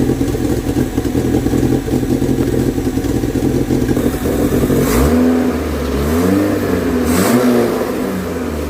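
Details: Renault 16 TX engine after rebuild, starting and idling evenly, then revving up and dropping back cleanly with no knock, rattle or miss; normal running and revving.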